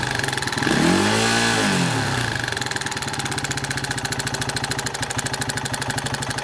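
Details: Masai A450 engine with noise and smoke: lumpy idle with coarse, fairly regular pulsing near three beats a second after a brief rev; abnormal noise, source undetermined.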